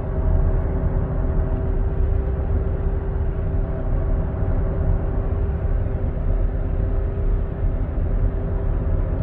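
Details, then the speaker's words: 2016 Buick Enclave, 58,000 km, driving at 80 km/h (50 mph): steady hum over road noise, worse turning left and easing turning right, a worn front wheel bearing. "so at 80 kilometers 50 miles an hour you hear a hum let's see if it's load sensitive"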